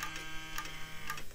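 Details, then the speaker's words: Gateway E-3400 desktop at power-on: low hum with a faint ticking about every half second from the dry, sticking power supply fan bearing; the fan won't free-spin, so the bearing is flushed with IPA. "Now that doesn't sound good. That is definitely that fan. I'm definitely gonna have to look at that."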